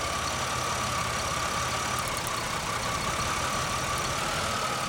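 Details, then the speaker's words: 2001 Pontiac Grand Am after repair of misfire on cylinders 1 and 3 (P0300), plug wires relocated, now reporting zero misfires; even steady idle with low rumble, no stumble; normal idle. "so it seems to be working but we'll have to wait and see what happens"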